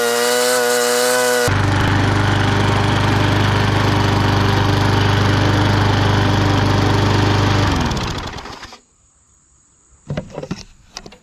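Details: Bolens 22-inch side-discharge push mower, Briggs & Stratton 500 series engine, after fixing a no-spark no-start, cutting the thickest grass: steady, even drone without bogging, then winds down cleanly at shutoff. Normal running under load.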